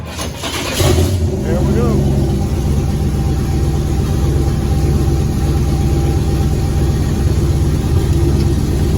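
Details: Chevrolet Nova on a late-model chassis, with a fuel cell, after being primed and timed; first running motor in 38 years. A brief crank catches at once, then it settles into a steady, even, deep idle. Normal start and idle.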